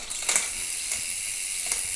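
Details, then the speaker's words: Wheeltop EDS TX wireless electronic rear derailleur, 13-speed 10-42t cassette, big 52 ring, in stand, shifting up then back down the cassette: three quick soft whirring clicks over faint hiss, fast and clean; normal electronic shifting. "I'm going to work my way up the cassette. I'll come back down just so you can see. Plenty fast enough. Go back up."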